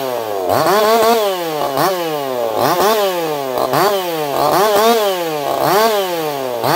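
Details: Echo CS4910 chainsaw with experimental taper-top piston/crank swap, ported for open crank, running a little warm, compression about 180 psi cold, 170 warm; high scream bogs as chain bites, recovering about once a second, strong clean-revving under load.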